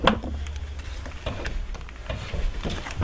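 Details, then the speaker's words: Subaru Outback, front jacked up, right front wheel turned by hand. Unlike the free-spinning left, it is hard to turn, with uneven scraping drag and clicks. A seized caliper is assumed, a slider issue doubted; the car needed full brakes and a front caliper. "as well only is it not kind of free spin but it's very difficult to turn you can hear noise out of it every time I go to turn it so I'm assuming this calipers seized up"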